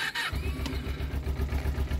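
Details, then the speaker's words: Ninja 250R cold start at about 1.5°C engine temperature after a below-freezing night, no choke: short crank, fires right up into a slightly slow but even cold idle; normal cold start. "Now, obviously, it idles slower because it's cold. You can put a little bit of choke or just wait for it to warm up."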